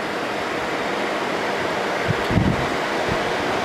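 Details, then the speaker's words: 1988 Fedders Cool Tote Slim 5000 BTU air conditioner in 50s°F weather: steady, even rush of air with a quiet compressor hum, no rattles or squeals; very cold output, frost, running and cooling normally. "Yeah, this definitely works. Man, I can't believe how quiet that compressor is."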